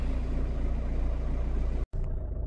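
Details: 2002 Opel Corsa 1.7 CDTI diesel idling steady and even with no misses or knocks after repair, left to warm up; it previously stalled when hot (90°C) and would not restart, code P0251.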